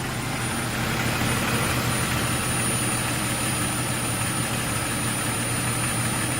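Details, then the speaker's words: 2001 Jeep Cherokee engine idling with thin steady high-pitched whistle from air sucked through a cracked vacuum line; found by spraying water on vacuum lines with engine running, noise changes. "this one off and as you can see that crack right there and this is the one that's been hissing and making all that noise"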